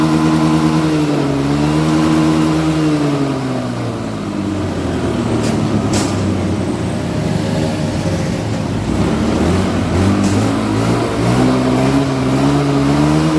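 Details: Honda Beat Street after fuel pump repair, pressure now 40 psi (spec 40–50 psi; earlier 30 psi caused bogging): the engine revs up and down cleanly, following the throttle without stumbling or bogging. It now runs normally.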